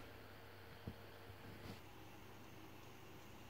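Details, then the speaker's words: PlayStation 3 Fat after CPU/GPU delid, cleaning and BIOS battery replacement: only a faint, even low hum, no whine or rattle; cooling fan now nearly silent after repair. "Wszystko jest doskonale a konsoli prawie że nie słychać"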